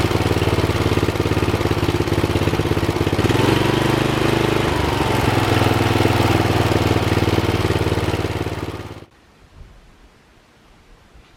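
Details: Rebuilt Troy-Bilt mower after new piston rings (old ring gaps nearly three times spec), with a brand-new carburetor and fresh oil, before fine carb adjustment. Runs at a steady, even pace for about nine seconds, then shuts off; normal running.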